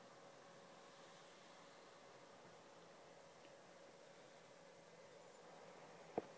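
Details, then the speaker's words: PS4 after new thermal paste and a cooling pad, playing Killzone Shadow Fall for hours: soft, even fan hiss with a faint steady hum, now quiet instead of loud. "what I've noticed since I've changed the pa the fun noise isn't that louded anymore that it used to be now it's gone quiet"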